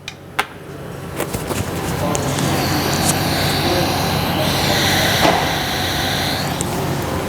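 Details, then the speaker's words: Tsunami regenerative compressed-air dryer, left tower in regeneration, mic pulled out, muffler being removed: soft steady sweep-air hiss, no pulsing or chatter; normal low sweep-air flow. "again very imperceptible that's the one thing about the Tsunami regenerative dryers we use a lot less sweep air than most other systems"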